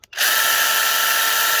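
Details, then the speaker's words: Cordless mini chainsaw on Dewalt 20V battery, no oil added yet, brief full-speed free run: high steady buzzing whine, harsh and dry-sounding; noise suspected from lack of oil, not confirmed. "But I don't have any oil in these yet, so they might be a little noisy."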